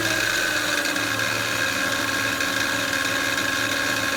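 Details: 2007 Honda Pilot EX-L with 282k miles that recently started humming. A steady high-pitched hum rides over an even engine run without wavering; the source isn't clear.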